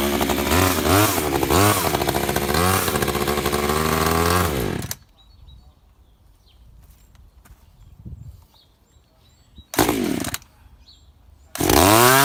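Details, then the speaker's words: Echo CS3400 top-handle climbing chainsaw, possibly from 2000, with a semi-chisel chain, started and left running: crisp two-stroke revs rise and fall cleanly, drop to a quiet idle and pick up sharply; runs strong and healthy. "i did start it up and just let it run for a while"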